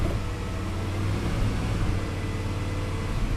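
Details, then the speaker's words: 2001 Jeep Grand Cherokee 4.7 V8 at idle: low, lumpy rumble pulsing in a rhythm matching the auto shutdown and fuel pump relay cycling, check engine light flashing slowly, no codes; rhythmic misfire from a faulty PCM. "PMs fluctuate so the engine misfires but it misfires to a rhythm okay it misfires to a rhythm and uh it's a rhythm that really closely matches what the auto shut down and the fuel pump ear are doing"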